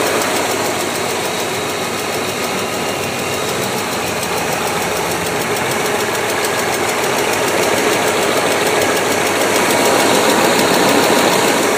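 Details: BMW S62 V8 at idle. A steady fast tick of about three per second rides over a smooth idle, a clear valvetrain-type tick whose cause is not determined.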